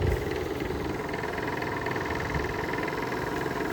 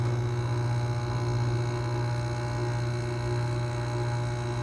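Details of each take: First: Whirlpool window air conditioner from 2000, neglected outdoors about two years, fan on high: compressor runs with a steady low hum and soft even rumble, no knocking or rattle; compressor sounds healthy, noise attributed to worn fan bearings. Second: Circa-2000 Whirlpool air conditioner, neglected about two years on a porch; steady low electrical hum with almost no air noise as the fan barely turns, held back by dry, stiff bearings; stalled fan motor hum.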